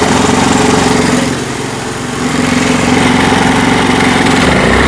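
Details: Honda Activa 4G scooter: loud, rough mechanical clatter over a fast, even engine beat, swelling with throttle on pickup; points to a damaged speed (variator) pulley in the CVT belt drive.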